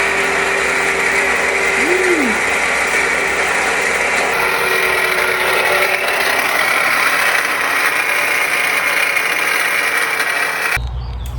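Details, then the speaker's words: Dodge Journey idling, noise from the right-side accessory drive: a constant gritty whirring rattle over the idle, traced to failing alternator bearings. "so if your car is making a nasty racket like that on the right side with a front wheel drive or all your accessories are on the right take off your drive belt so you can spin each one of these pulley individually"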